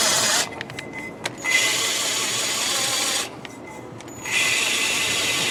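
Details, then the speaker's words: 1968 Triumph TR250 cylinder head, old valves being hand-lapped with paste: rough gritty scraping that smooths out as the valve cuts in, with the coarse sound returning after lifting and reseating; valve lapping. "i don't know if you can hear it but in the beginning it's like it's rough and then it starts going smooth so now it's smooth but when i lift it and put it back in you can hear it yep"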